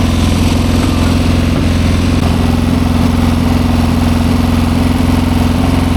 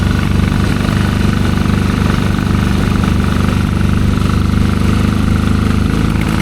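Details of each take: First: 1972 Triumph Bonneville 650 twin, long unridden, after finding which way the choke goes and switching it off: steady, even idle with a smooth regular beat, no stumble; normal running, new spark plugs fitted next. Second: 1972 Triumph Bonneville 650 twin, long unridden, first ride after revival: ragged, uneven beat that stumbles and won't build revs, barely quarter throttle, breaking up badly.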